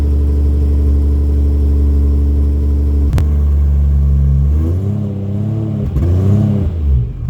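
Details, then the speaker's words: 1989 Jaguar XJS V12 after fitting straight-through stainless mid pipes and new gearbox mount: start, deep smooth idle, then clean revs rising and falling with even exhaust note, no knocks; healthy. "Yes, that sound up at 4,000-5,000 is exactly what I wanted it to sound like. That's brilliant."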